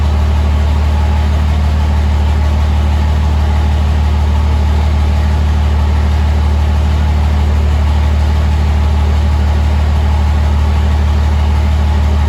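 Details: 2005 Cummins diesel build, first start after rebuild: steady, even low diesel rumble with a smooth regular beat, no knocks or misses; healthy idle, good fuel pressure, check engine light (owner suspects MAP sensor).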